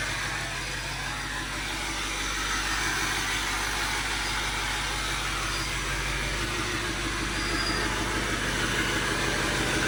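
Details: Overkill XJ off-road rig after fixes and a dead-battery start: even, steady idle with light background hiss, no knocks or misses; sounds ready to drive.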